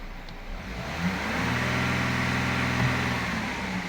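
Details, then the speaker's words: 2016 Audi Q7 3.0 TDI Euro 6 diesel revving smoothly and evenly with no knocks; the horrible rattle previously heard at 1500 rpm is gone after the fix, engine now sounding healthy. "but this is just sounding so sweet in comparison to where it was before"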